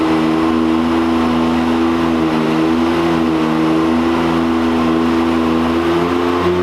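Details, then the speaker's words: 2022 Can-Am X3 on dyno with big injector tune, 93 octane, about 19 psi boost, stock clutch at full load: steady high flat drone that doesn't climb, almost free-revving; factory CVT belt slipping at the beginning of the pull. "I mean, it's pretty good right now, but it's just slipping on the beginning. Just slipping in the beginning."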